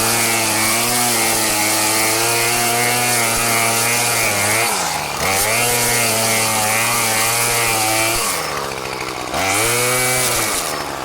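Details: Murray M2500 bent-shaft two-stroke weed trimmer, curbside find, cutting goldenrod: high, strong wail holding pitch, dipping briefly under load and picking straight back up; running healthy.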